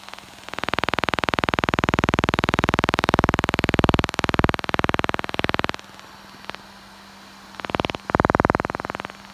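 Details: DJI Mavic Pro drone cooling fan: loud, steady buzzing whir with a fast pulsing edge that cuts in and out, the pulsing suspected to be camera-pickup interference; fan noise is normal for this model.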